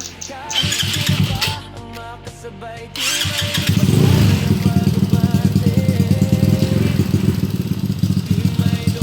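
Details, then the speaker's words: Engine's first start after a rebuild with a new piston and a hand-reground cam, electric fan cooling it for break-in. It settles into an even, quick idle with light top-end ticking, attributed to the reground cam. Quiet with no knocking; normal running. "mga idol, mukhang okay naman, mukhang tahimik naman, wala umupog. Maingay lang ng konti yung cam kasi mano-mano lang regrind yun"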